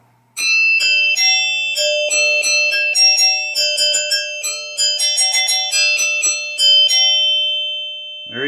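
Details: 1972 Williams Super Star pinball chime box being rebuilt (one chime had broken off): clear ringing bell tones struck in succession, each decaying cleanly with no buzz or dull thud; chime unit healthy.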